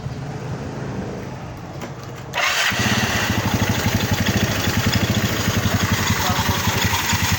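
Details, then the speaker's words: Yamaha Mio scooter, carbureted, smoking and noisy, backjob after three mechanics, crankshaft blamed by others: on startup, choppy, uneven putter about four beats a second that sags as if about to die; mechanic blames carburetor mixture and tune-up, backfires. "Kung papakinggan mo, meron siyang namamatay-matay sa timpla ng carburetor to, tapos sa tune up."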